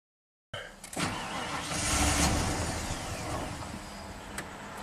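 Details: 1992 Ford F-150 5.0L V8 fitted with a used eBay throttle body after a rusted coolant line starts then stalls, flaring briefly and sagging instead of idling; it sets a TPS code.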